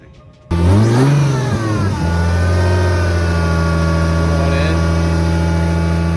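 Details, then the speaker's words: SC300 that had been misfiring, after replacing a bent part: it fires, blips and settles into a smooth, even idle with no missing beats, running much better. "it sounds a lot better too like it like a lot"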